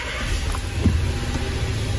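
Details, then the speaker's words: 2014 VW Jetta 1.8L at idle, oil overfilled about a quart, misfire and oil pressure codes stored: rough, shaking idle with deep rumble and irregular pops as one cylinder drops out; misfire. "It's definitely got a horrible misfire. It's shaking. The engine's shaking. You can hear it popping."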